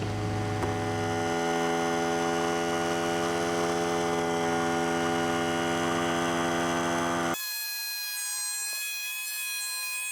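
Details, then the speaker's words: Central Pneumatic 95275 oil-less 3-gallon 100 PSI pancake compressor pumping from 80 toward 100 PSI after holding 80 for over half an hour, maybe 45 minutes: heavy droning hum, motor working hard, then cut off abruptly at 90 PSI as it started sounding funny; labouring near maximum pressure. "all right it's kind of starting to sound a little funny so I'm I'm not going to tempt fate we are at 90."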